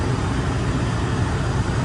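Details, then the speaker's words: 1996 or 1997 Range Rover P38 HSE V8 barn find, just started after storage: deep even rumble with steady beat, nothing knocking or ticking; normal smooth idle. "not that be that easy who would have thought it purring like an absolute"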